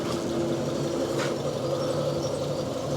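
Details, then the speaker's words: Fiat 500 salvage project, restarted after fitting proper number plates: quiet, steady, even tick-over with no knocks or whine; the earlier noise is no longer heard and the engine idles normally. "Now, I've just started it up again after putting the new number plates on, the proper number plates on, and I can't hear that noise. The engine sounds alright, so I just don't know what to do."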